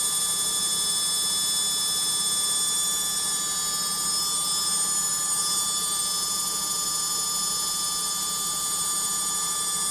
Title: LOGIK Washing Machine Final Spin NOISY